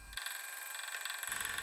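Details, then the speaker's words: Lathe tool cutting inside steel tube ticks rapidly as it strikes the unremoved internal weld scarf left by the tube making process: interrupted cut. "the internal scarf has not been removed in these tubes and you can hear the tool clicking as it cuts into it this is a result of the tube making process"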